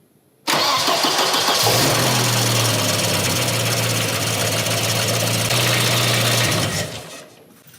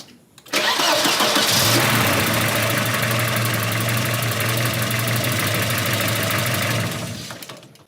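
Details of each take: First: Volvo 240 after a timing belt job, new engine mounts and oil-leak repairs, with the battery charging: quick crank, catches at once and settles into a steady, even, smooth idle; normal start and idle. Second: Volvo 240 with a steady, slightly lumpy idle and no mechanical knocking, shaking from tired, worn engine mounts that are on the repair list alongside struts, timing belt and oil leaks.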